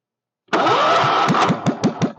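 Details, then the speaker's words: Kohler K301 single-cylinder stationary engine, first start with chainsaw gas mix added, fuel pump leaking: fires up then drops into slow, uneven chuffing that keeps slowing; idle speed needs adjustment. "oh she needs a little adjustment on the idle circuit not idle circuit the idle speed I should say"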